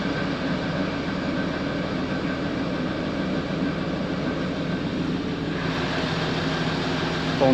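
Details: Land Rover Discovery 3/4 2.7L TDV6 diesel (chassis 7A000001 onwards) idling after fuel filter change and priming; smooth, steady low drone with no knocks or hunting; runs fine with no leaks; normal idle.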